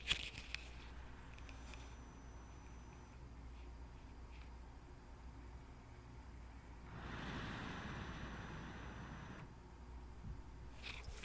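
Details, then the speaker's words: Alienware Area 51M R1 laptop powered on straight after shutdown, microphone near the fans: fans surge up for about two seconds then cut out, repeating; boot loop. "So like you heard, the fans, they start spinning, they ramp up, and then they shut off, and then they ramp up again, and then they shut off. This is because the computer is boot looping."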